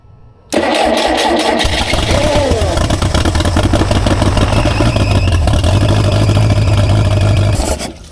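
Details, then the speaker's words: Rare experimental four-cylinder big-block engine, first start in about 15 years: catches and runs at a fast idle with a thin rising squeal from the power steering pump running without fluid; belt to be removed. "Why is it squealing? Because there's no fluid in the power steering pump."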